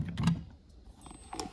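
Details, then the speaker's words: Red Bull mini fridge not cooling, plugged in: light comes on, sharp relay click, then faint high-pitched hiss, no compressor hum follows; faulty compressor start relay keeps compressor from starting. "Basically, the light fixtures come on, so I know it's getting the power, and I hear the clicking sound followed by high pitch hissing sound, but I don't hear the compressor coming on."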